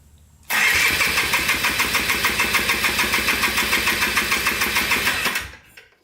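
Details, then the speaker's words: Polaris Trailblazer 250 2x4 two-stroke quad, compression test cranking with throttle open: fast even chuffs with little drag; gauge reads about 95 psi, low compression, likely needs rings at minimum. "yeah it's definitely low compression you can see a little less than 100 about 95 pounds of compression so it definitely probably needs rings at the bare minimum"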